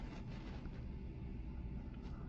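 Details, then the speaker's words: Good used submersible well pump just installed to replace a failed pump, heard after pressure held steady and it triggered back on: quiet, steady low hum with no surging, rattling or chatter; running normally, no leaks. "Running right where it's supposed to. Good. Satisfied."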